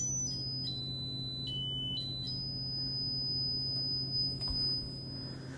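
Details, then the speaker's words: Braun Wandanlage (Dieter Rams) L 450 speaker tweeter, frequency sweep from a signal generator through an amplifier: clean pure tone gliding through the treble without rattle or crackle; tweeter fine, fault probably a crossover component or loose connection. "Yeah, that sounds like it's working just fine, which is actually good news."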